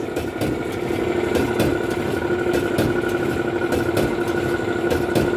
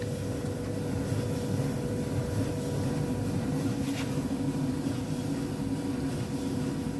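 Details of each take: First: Alliance/Speed Queen commercial clothes dryer running: loud abnormal rumble with metallic scraping drone and thump about four times a second; damaged drum idler pulley and worn drum bearing slides, also not heating properly; replaced pulley, slide kit and pulley nut, then ran quietly. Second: Alliance/Speed Queen commercial dryer after replacing the damaged drum idler pulley, its nut and the drum bearing slide kit: an even low hum with no scraping, thumping or squeal as the drum turns, and it is heating again.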